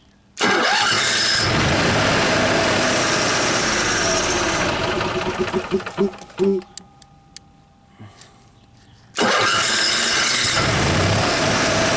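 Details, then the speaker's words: Motorhome generator: fires and runs at a steady speed, dies as the start button is released, and restarts when held. Spark is cut on release. "So basically, why is it not staying running? The spark is getting shut off as soon as you release the start button. I don't think that should be happening."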